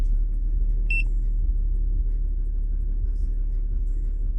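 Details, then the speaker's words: 2010 BMW X5 E70 30i in limp mode with reduced power: deep, lumpy, uneven idle. Smooth-running scan values flag cylinders one, six and possibly four as misfiring; spark plug or ignition coil fault suspected, not yet confirmed. "and cylinder one let's see maybe even four are not running good so one four and definitely six"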